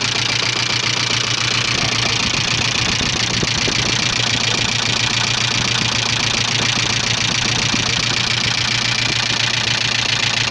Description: стучит двигатель ea82 subaru leone 1985